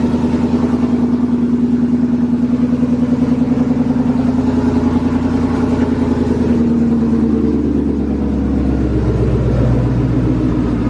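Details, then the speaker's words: V8 started after sitting a long time, air filter removed, dusty and smoky at start, not yet at operating temperature: deep, steady burble with an even, slightly lumpy beat and no knocks or ticks; healthy idle. "It's been a fat minute since this thing's been started. But it sounds good. She's running healthy. Everything's good."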